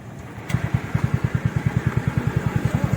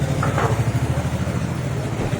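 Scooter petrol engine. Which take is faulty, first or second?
second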